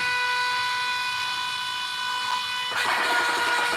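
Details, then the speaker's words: Electric oil scavenge pump for a rear-mount turbo oil return on a RAM 1500, demo moving a little oil after running dry; steady hum and even high whine that brightens near the end, no strain, no foaming. Normal running. "it's already pumped on what I had in there which is nothing so it's good it can run dry that's what I want"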